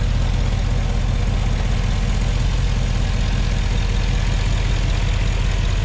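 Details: Porsche Cayenne Turbo 957 V8, cold engine at idle: low, steady idle with an uneven pulsing thrum; abnormal cold-start noise, cause not confirmed.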